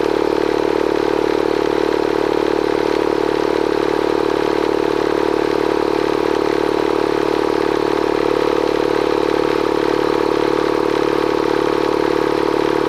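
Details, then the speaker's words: Bostitch Stanley air compressor running after a leak repair near the regulator (fitting resealed with pipe tape and dope, regulator top tightened): fast, even piston chatter with a steady midrange drone and no knocks, pumping normally. "okay so we got it off let's plug it back in and fire it up thing runs great"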